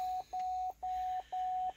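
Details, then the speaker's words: 2011 Cadillac STS Copart damaged car, first start, in Park: steady mid-pitched beep about twice a second, shift-to-park warning chime; owner suspects an unplugged shifter unit is causing it, not confirmed. "looked at the panel and seeing what was see him oh now saying shift apart this a shift apart it's probably right here in this this unit right here this unit is not plugged in so that's why it's got another code shift the park"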